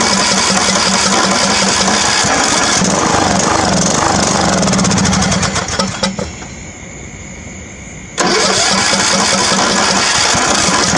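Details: Craftsman riding mower, about 19 hp, with old gas drained from the tank and bowl and fresh gas added but the carburetor not yet cleaned: cranks, catches, runs ragged and uneven, dies and fires again. Rough running.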